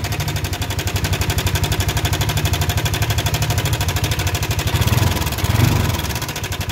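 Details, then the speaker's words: Yamaha NMAX scooter at idle after electric start, before repair: a fast, harsh metallic clatter over the beat. The owner feared internal engine damage. "mungkin segitu jelas ya untuk suara mesinnya ini sangat berisik sekali rawan sekali takut ngerembet ke yang lain"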